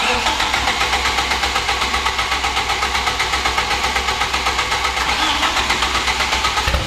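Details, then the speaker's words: Mid-engine Mitsubishi Eclipse 4G63 after timing/valvetrain work and oil pan reseal, first start: steady idle with sharp knock two or three times a second over a hissy top end; knock persists, cause unclear (rod, lifter or timing belt suspected). "pretty sure the knock's still there but we're going to take it for a drive let it get up and tim go through the rest see what happens"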